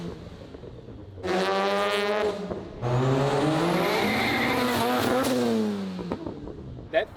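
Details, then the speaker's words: Rotary Corvette, new resonator and muffler, about 60% throttle: hard acceleration with tire squeal and choppy stuttering exhaust as traction control cuts ignition to curb wheelspin. "broke traction so quickly that any sort of weird variation you'd be hearing was actually ignition cutting trying to traction control the damn car."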